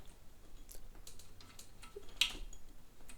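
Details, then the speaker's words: Singer 221K vintage sewing machine, mechanism turned slowly by hand after the visible thread jams were removed. It may need lubrication. Faint irregular clicks persist; the cause is still unknown and needs further investigation. "so we're still getting, I don't know if you guys can hear that clicking. I'm turning, I've gotten the thread jams that I could see. I got them out, but notice we're still getting a clicking here."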